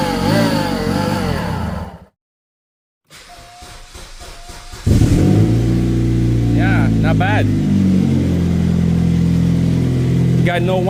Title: BAD Engine Noise [Diagnose] Follow up for More